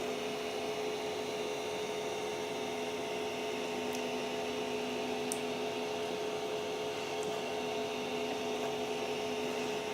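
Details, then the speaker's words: Creality CR-10S 3D printer after fitting steel-and-rubber NEMA 17 stepper motor vibration dampers: soft steady hum with faint clicks, no harsh motor buzz; steppers run quietly and smoothly. "it's so quiet this is unbelievable this really is unbelievable so this little thing this is the best upgrade you can do for your printer"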